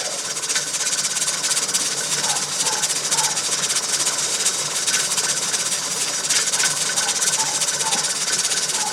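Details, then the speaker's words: Pressure canner on an LP hotplate outdoors at just over 11 psi: continuous steam hiss with jiggler weight rocking and spitting unevenly; normal venting at processing pressure. "you want to stay right up there where it jiggles that that and it's just over 11 pounds on the pressure gauge"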